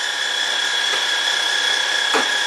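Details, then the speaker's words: 2012 Honda Odyssey after replacing the alternator for a P1549 charging system high voltage code, charging at 13.5 V: constant high-pitched whine over the idle with no rhythm, seemingly from the new, possibly defective alternator, getting worse. "Is there a weird sound coming from this alternator? I don't know. Let's take it for a test drive. I don't know. It's getting worse."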